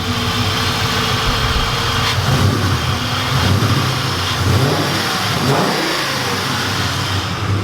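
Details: Turdzilla Mustang with a Mark VIII engine swap, after a vacuum leak was found: clean idle climbs smoothly into free revs and drops back with no ticking or misses; the engine sounds healthy.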